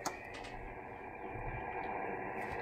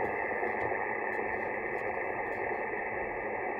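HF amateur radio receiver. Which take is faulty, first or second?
first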